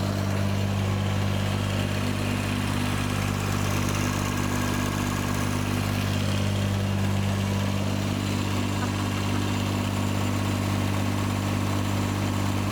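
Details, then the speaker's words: John Deere 755 compact utility tractor, Yanmar 3TN diesel, just rebuilt, with some shield interference: steady even clatter about 230 beats a minute, clean low drone, no knock or miss; only loose parts rattling; normal idle. "yeah yeah that sounds way better already there just an interference from that Shield everything else is just stuff rattling"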